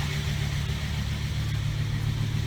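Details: 1995 Volvo 850 T-5R first start after sitting 15 years in Arizona desert, with new fuel pump, timing belt, water pump, coolant hoses, vacuum lines, plug wires and more: low steady even idle, no ticking or misfire; normal idle.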